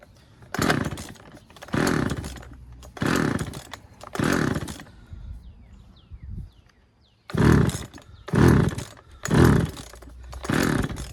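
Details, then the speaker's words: Husqvarna 136 chainsaw fitted with a replacement Hipa carburetor: revs blip high about once a second then drop back; rough low-speed running, low-speed mixture thought to need slight adjustment. ">> All right. Uh sounds like we got to adjust the low speed um setting on it just a little bit, just a hair, and I think we'll be good to go. Yeah. She wants to run."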